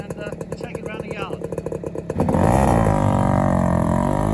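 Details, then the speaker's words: 1997 Yamaha YB1, a Japanese-market FS1-E lookalike with rotary gearbox and Higgspeed expansion pipe: starts after a few crisp starter pops and settles into a busy, even two-stroke buzzing idle with no misses; normal running. "This little fizzy lookalike, quite nice."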